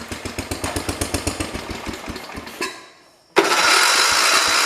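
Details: 1973 112 tractor with Kohler K301 single-cylinder, first start after head gasket replacement and valve adjustment: regular firing pulses, a brief lull, then it catches and settles into a steady even run; idles better.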